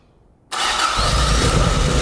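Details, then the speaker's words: AE86 Corolla 4A-GE with new cams, dual Weber 48DCO sidedraft carbs and ignition box, first startup on starting fluid: starter catches after a half-second and it fires straight up into a rough, steady run with strong low rumble; normal first start. "but I mean it's firing right up sounds good I mean for as good as you can tell with the thing on starting fluid dude I'm pumped I'm so pumped"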